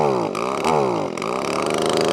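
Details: Echo ES2400 leaf blower, carburetor mixture screw turned in to restrict fuel: engine pitch surges and sags, never holding steady revs, barely wanting to run; lean mixture.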